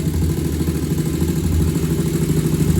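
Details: 2001 Honda TRX400 single-cylinder, stock exhaust, idling: an even, soft low thump with no knock or tick. A small tick had been reported after a valve adjustment to spec; it now idles cleanly and sounds healthy.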